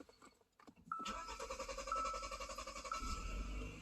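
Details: 2013 Hyundai Santa Fe GDI after replacing the high-pressure fuel pump for code P0091, rough idle and lack of power: dash chimes, starter catches quickly, settles to smooth steady idle with no stumble; normal start after repair.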